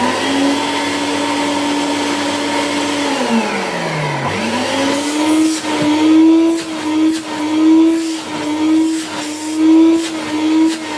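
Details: 1984 Hoover Powerglide S4256 vacuum, first power-up after reassembly; motor had significant problems that calmed with lubrication, rotation and heat. Motor winds down, then spins back up to a steady, even hum with some surging hiss; runs smoothly after the rebuild.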